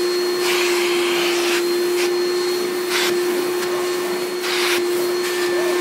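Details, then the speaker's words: 1995 Hoover Turbopower 3 U2876 upright vacuum cleaning stairs: steady, even motor hum with a constant mid-pitched tone and brushing noise over it; runs very well, though the belt squeaks at shutdown. "um but yeah it runs very well actually"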